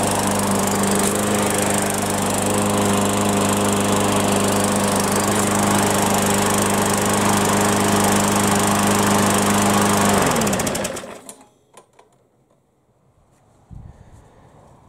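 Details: Yard Machines mower, with fresh fuel and primed; steady, even small-engine drone at constant pitch for ten seconds, then a clean shutdown; normal running.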